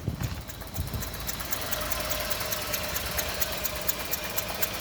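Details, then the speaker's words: 2011 Renault Sandero, no power on acceleration: very low, uneven idle with lumpy thumps that drop out, engine shaking and misfiring badly. "hey guys I'm driving a sandero 2011 model as you can see it's idling very very very low and it's Miss very badly in the engine"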